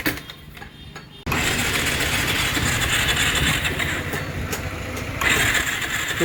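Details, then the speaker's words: Bajaj Pulsar 220F on its first start after clutch plate and assembly replacement; the engine runs briefly with a loud, ragged, strange clattering. Timing chain noise is suspected but the cause is unconfirmed. "आपने देखा कि bike एक बार के लिए तो start हुई थी लेकिन बहुत अजीब सी आवाज कर रही थी।"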